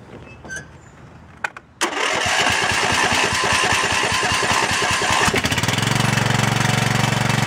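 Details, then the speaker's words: Cub Cadet LT1018 lawn tractor after a carburetor replacement, choke on; previously a screw could be heard inside. Quick cranking, then a smooth, steady idle with no hunting or misses; idles much better than before. "Well, it idles down a whole lot better than it did before, and it doesn't sound bad."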